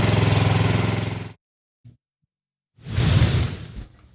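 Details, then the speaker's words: Honda HRX 217 walk-behind mower, battery charged and washed, started on full choke: small single-cylinder engine starts cleanly and runs with a fast, even putter, no misses or knocks; normal healthy running. "hey yeah that started nice oh she's running good"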